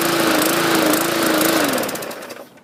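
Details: 2014 MTD 20-inch push mower, 300E engine, main jet drilled out to 0.6 mm; high-speed running with pitch hunting up and down before dying away; owner suspects excess fuel from the enlarged jet, unconfirmed.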